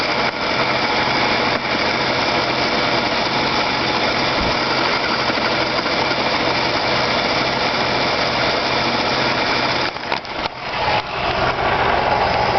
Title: weird noise from tranny area